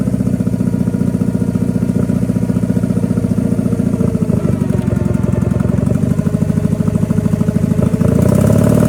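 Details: Power King 2417 economy lawn tractor, revived with new starter, fuel filter and cleaned carburetor: deep, steady V-twin thrum with even beat, no misses or knocks; normal running.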